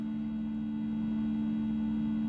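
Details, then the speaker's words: 1980 Bally Skateball pinball sound through the cabinet speaker when a game starts: a single steady mid-pitched drone where the last note never decays; stuck sustained note, possibly a sound board issue. "you hear that last note still resonating so that's a little odd"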